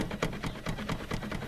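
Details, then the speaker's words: ZAZ Tavria rear hatch: quick regular metallic clunks, four or five a second, as the hatch is shaken; lock moves and the whole hatch plays loosely, guide to be replaced and lock mounting torn out of the body. "То есть замок вот ходит и ляда вот так вот вся играет, болтается."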